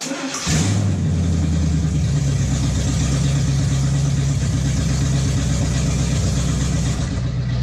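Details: 1958 Chevy Biscayne after swapping the tired inline six for a V8: catches and settles into a strong, steady low rumble, then revs smoothly and evenly; running well.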